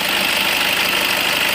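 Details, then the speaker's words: Toyota Innova at warm idle; the noise only appears after the engine warms up. A steady, rising high-pitched whistle rides over the engine. Alternator drive belt slipping and squealing; pouring water on it stops the noise; belt replacement is the fix. "आवाज आ रहे धीरे-धीरे आवाज बढ़ रहा है press कर यहां पर स्वस्थ मिल सकते हैं यह चूस-चूस सिटी मार रहा है"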